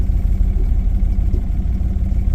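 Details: 2007 Dodge Ram 5.7 HEMI V8 idles low and lumpy with uneven thumps. Codes are P0300, P0032 and P0118, and the owner thinks one cylinder is missing. O2 and coolant temperature sensors are to be replaced.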